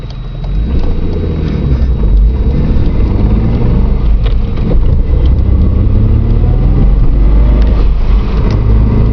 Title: Loud noise from tranny area again.